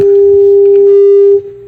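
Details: Tube amplifier after tube swaps, matched output tubes and bias pot turned down, plate dissipation checked: steady pure mid-pitched test tone, loud then quieter, no hum or crackle; clean amp signal.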